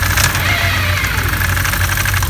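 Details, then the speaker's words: 2015 Can-Am Commander at idle, clutch cover off: loud metallic rattle from primary clutch, worse at idle, fading with throttle and higher rpm; all six primary clutch bolts found loose. "I noticed that the noise was much worse at idle than it was if a little bit of throttle was applied and at higher rpms end up taking the cover off of the buses and the noise became really loud really sounded like these coming from the primary"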